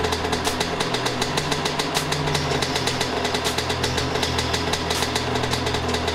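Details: Suzuki RM 125 two-stroke after a rebuild (cracked case split and repaired, new piston, crank and transmission inspected): crisp, rapid, even popping at a steady idle with no knocks or rattles; idling cleanly and healthy.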